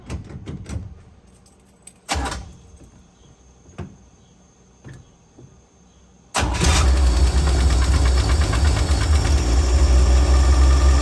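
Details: 1965 Dream van after repairing a wiring short and oil pressure line failure, battery previously dead: a few clicks, then cranks, catches and settles into a steady, even idle with no knocks or misses; no leaks; healthy.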